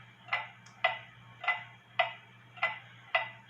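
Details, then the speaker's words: H.Th. Mylius German regulator wall clock, possibly 1920s/30s, repaired after a fall and rehung with its pendulum and beat set. Crisp, nearly even tick-tock at about one beat per second in a quiet room; running in beat, possibly slightly off. "so I didn't hang it back up in my bathroom and leave it there for a little bit it sounds like it's in beat it could be off a little bit"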